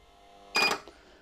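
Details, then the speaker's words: Microtek double-battery inverter: sharp relay clack with brief buzzer beep, then a faint second click, as it switches to mains, tries charging and drops back to backup mode; 5 V supply dips with each click. "जैसे ही mains पे connect करता हूं तो यह mains पे जाता है charging करने की कोशिश करता है और वापस जो है बैकअप मोड प आ जाता है एक रिले और बजर की क्लिक साउंड के साथ"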